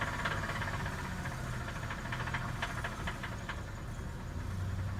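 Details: Cold engine revved with a terrible hard, irregular hammering rod knock like a jackhammer under the hood, sharpening with revs.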